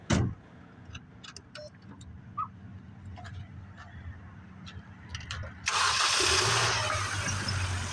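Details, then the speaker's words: 2005 Mini Cooper 1.6 16-valve, just after a 3-inch aftermarket intake pipe and cone filter replaced the damaged stock airbox and very dirty filter: engine cranks, catches cleanly, and settles into a loud, throaty idle with strong intake roar. A healthy start. "You want to fire this beast up so I can hear it go rah, rah. I mean, it makes the 1.6 16 valve sound like a beast."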